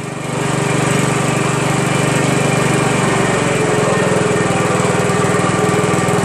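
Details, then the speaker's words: Honda Harmony HRM215 SX self-propelled mower, GXV140 engine, cracked deck and suspected stripped rear drive gears; engine picks up and settles into smooth, steady full-throttle run with no misses or knocks: normal running. "he's right engine starts up great"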